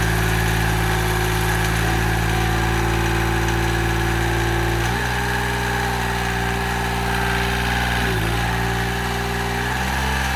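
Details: Mitsubishi L3E three-cylinder diesel (about 20 hp) powering a log splitter, low-cost rebuild after zero compression in middle cylinder: steady diesel clatter with a metallic rattle and a speed change midway; loose components rattling, coolant leak still pending.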